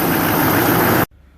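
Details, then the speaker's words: Duramax diesel with the top-of-engine intake resonator replaced by a 2-inch plumbing plug: loud, steady diesel roar with no whistle or hiss riding on it, then it cuts off abruptly; no intake air leak heard or felt. "Okay, so far I don't hear any leaks. I don't feel any around it either, so we're gonna take a test drive, see."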